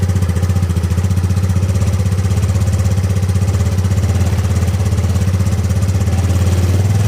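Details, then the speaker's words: Ego LC 125 scooter started cold in the morning after DIY service: even, low single-cylinder putter about four beats a second with light mechanical clatter, slightly noisy when cold but running normally. "Pagi-pagi dia bising sikit."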